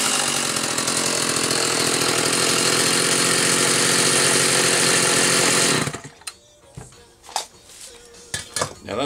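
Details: Homelite Super 2 SL chainsaw with chain brake, carburetor previously gummed by caramelized fuel. Test run: it screams at high, steady revs for about six seconds, then cuts off, running even and strong.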